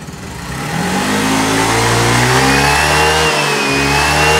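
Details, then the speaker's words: Motorcycle after repair: engine note climbs quickly and holds a strong steady rev with eager pickup, no stumble; lacked this response when revved before repair, now healthy. "Gigil na gigil. Yan o. Kanina mga katropa, wala siyang ganyang gigil nung nirev natin doon na binaba natin sa pick up."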